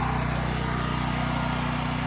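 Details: Portable generator started with the choke for a house interlock hookup. It gives a steady, even drone with no hunting or surging, and its pitch holds constant. It runs normally.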